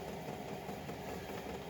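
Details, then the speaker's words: Chinese 5 kW diesel air heater with LCD controller, fuel pump on its low setting and error code 00: steady low combustion roar with soft, even dosing pump ticking; normal running. "if there was a zero one etc then that would be a problem and as you can hear the pump is just a cooking"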